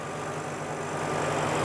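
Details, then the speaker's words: 2007 Ford Mustang GT convertible, 4.6-liter V8, low mileage, dealer maintained, idling under the open hood: steady, low, even idle with a soft pulse, belts and pulleys whisper quiet with no squeal or chirp. Normal idle. "You can hear it idling very happily and quietly. The belts and pulleys are all whisper quiet."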